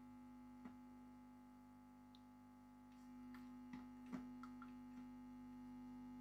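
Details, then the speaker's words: Late-1960s East German Vermona MV3 tube guitar amp after restoration, mains at 230 V AC (about 316 V B+), chassis open on a workbench, unshielded, after adjusting the rear pot: steady low buzz at one pitch with light handling clicks; mains hum. "Yep, that's definitely higher there. That seems to be the quietest it's been. I do expect buzz because this thing is sitting out there in the open on a workbench with all sorts of stuff switched on."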